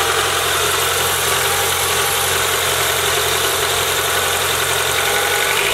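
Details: Car engine after a first-time valve cover gasket job, done because of oil in the spark plug holes, and with the power steering now working: steady, even idle, a constant hiss over a smooth low hum, no knocks or misses. Normal idle.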